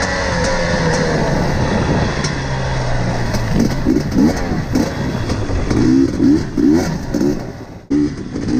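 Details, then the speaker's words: KTM TPI two-stroke, warm, ten minutes into the ride: stumbles and burbles unevenly at low throttle, popping and sounding unwarmed and loaded up, progressively worsening; cause found to be a failed crankcase pressure sensor. "as you can hear it it really does sound like like the bike hasn't been warmed up but this is this is 10 minutes into the ride"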